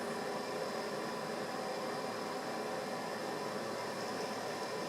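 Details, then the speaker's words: West Point space heater that had only been blowing lukewarm, after reassembly: smooth, even rush of air with a faint steady motor hum, no rubbing, ticking or rattle; now pushing air and heat again. Normal fan operation after repair. "Now we're pushing some air and some heat. Beautiful."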